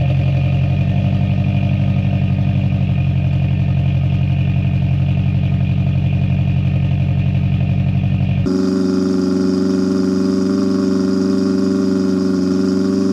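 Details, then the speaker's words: Turbo Honda S2000 with a new cheap single-exit exhaust replacing a J2 dual-tip whose muffler baffle broke and rattled: deep, steady, smooth exhaust drone with no rattle or buzz; normal exhaust note. "Sounds like a $150 exhaust to me."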